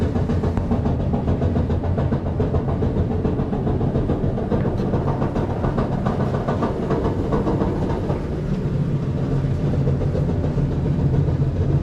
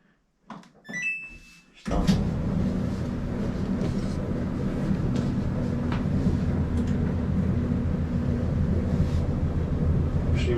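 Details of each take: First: Samsung dryer drum turning with a heavy, uneven rumble and repeated on-off popping thumps from a damaged support wheel that needs replacing. Worn drum support roller. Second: Samsung dryer after all three drum support wheels were replaced to cure a popping noise: start-up beeps, then an even, steady drum rumble with no squeal, thump or popping; quiet, normal operation.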